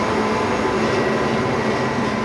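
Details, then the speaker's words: Repaired soft-serve ice cream machine that previously only hummed without starting: steady, even low hum with no rattling as the compressor runs normally and the inside freezes. "bom ele já tinha partido tinha desligado a hora de gol de novo como vocês podem ver aqui ó Oi vó congelando aqui dentro"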